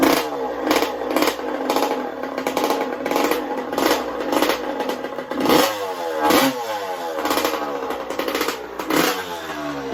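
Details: 1982 Honda CR125 two-stroke racebike: sharp revs rising and falling with a raspy, rattly edge on each blip; exhaust leak where the silencer is detached from the expansion pipe, only silicone attempted as a seal.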